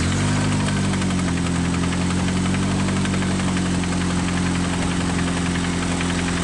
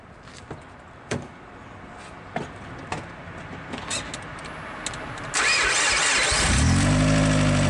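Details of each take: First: Rough idle with rapid knocking about three to four times a second under the engine drone; connecting rod banging—rod knock. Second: First startup of a car engine after all four rod bearings were replaced to cure rod knock on cylinder 1; cranks briefly, catches and settles into a smooth, even idle with no bottom-end knocking. Normal idle.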